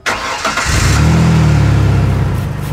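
Engine starts and settles into a steady, even low rumble with no puffing or ticking from the exhaust; sealed and running healthy.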